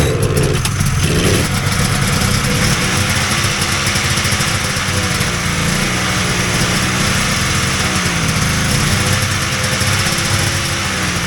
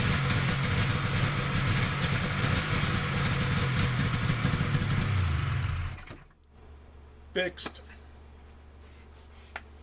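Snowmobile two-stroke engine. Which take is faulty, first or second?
first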